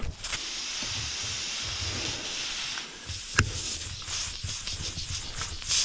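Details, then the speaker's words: Ford LT9000 truck with Cat 3406B: steady sharp hiss of air escaping from the tyre tread; puncture hole from a nail or rock, shiny object visible. "oh you hear that something in there this either going to be a nail or a rock you can see a little bit of shiny stuff in there"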